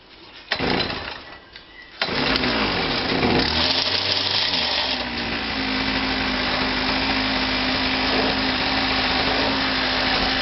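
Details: Kawasaki KBH43A two-stroke strimmer, parked for a year, would only run on choke; old fuel filter fitted, now running a bit better: pulls over, catches, thin steady buzzing idle, seems fuel-starved; owner suspects fuel filter, petrol cap issue too.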